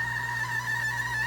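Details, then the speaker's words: GEVI ice maker, third repair: steady high-pitched squeal over low motor hum while making ice that fails to drop into the hopper; auger binding as the unit freezes up. "and this is what it sounds like when your ice maker is dying"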